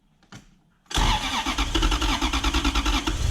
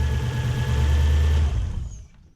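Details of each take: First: BMW E36 coupe with a swapped Gen2 Toyota 1UZ-FE V8 (standard igniters, airflow meter fitted): cranks, catches roughly with lumpy misfiring and pops back through the intake, then dies. It was worse the day before, and the ECU is to be examined. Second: BMW E36 coupe with a swapped Gen2 Toyota 1UZ-FE V8: steady, even low rumble with no knocks or misses before it is shut off. A clean, normal idle.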